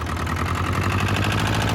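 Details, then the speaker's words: Steyr 650 tractor diesel rolling under its own power after about 30 years, smoking heavily: loud, fast regular knock about ten beats a second over the rumble; owner suspects top-end tappets a mile out, needing adjustment. "It's just knocking away a mate there. But it's top end. It's just adjustment, I would say. The tappets are a mile out."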